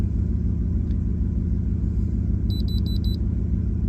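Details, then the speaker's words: Dodge Ram 1500 HEMI V8 idling after cylinder 8 ignition coil and spark plug replacement for P0308, scanner beeping while erasing codes: steady even rumble with no stumble or missing beat; misfire appears fixed. "Yeah, I think I fixed the problem. Sounds good, actually."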